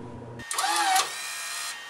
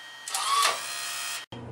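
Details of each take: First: Fujipla ALM-series laminator cutter unit during adjustment, pulley set screw loosened, cut button pressed manually; about a second of strained, dragging whir as the cutter travels, then a quieter hum; the drive wire is too tight, slowing the motor. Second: Fujipla ALM-series auto-laminator cutter unit after clean, lube and wire-tension adjustment: short, even motor whir with a steady hiss that runs smoothly and stops cleanly; cutter now operating efficiently and healthy.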